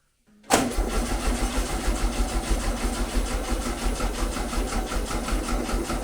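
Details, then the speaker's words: 1974 VW Beetle 1303S, 1915cc engine with 50cc ported heads, ITBs, Engle 120 cam, first start attempt after EFI conversion: engine cranks in steady slow, laboured pulses about five a second without catching; owner blames a battery going dead. "Typical bloody batteries going dead now."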